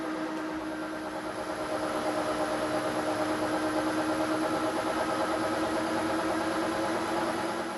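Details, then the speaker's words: Weiler Matador SV (1972) lathe motor whine with a gentle regular pitch waver, about three swells a second: spindle speed is deliberately cycled using knobs that set how fast and how much it changes, working normally. "the speed is varying. And this one is how fast. This one is how fast it is changing, and this one how much."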